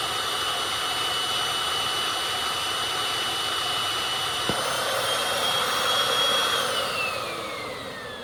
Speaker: Well, that sound there means she is full and I've got to go dump it. All right, so you heard that little pop. What happens is there's a little flap in there that when it gets full, it'll do that to keep it from overrunning.